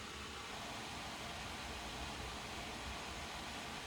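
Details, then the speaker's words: Asus Strix G15 Advantage Edition laptop after running a while in performance mode: a steady airy fan rush with no clear tone or pulsing, louder than silent mode's 46 dB. The mic misses the fans' high-pitched whine. Loud fan noise in performance mode. "definitely it's louder now are we getting more performance I expect we are"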